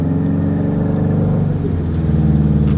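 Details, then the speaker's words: 2004 Subaru WRX STI after hitting a hump while driving for E85: engine drones and climbs in pitch while the car barely pulls, light ticking, speedometer not reading; owner thought driveshaft, found a broken axle. "Oh my God. Something is like real broken right now. And now I have to limp the STI back to the house."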